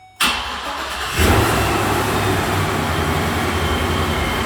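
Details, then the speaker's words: First start of a supercharged (Procharger, intercooled) factory engine in an old 15-passenger work van: brief crank, catches at once, idles high then settles to a strong, steady, even idle with no misses; quieter than the Corvette. Normal start. "Still idling high, it's coming down. Coming down, let's see what this is gonna sound like. That's pretty quiet. It's a lot quieter than the Corvette."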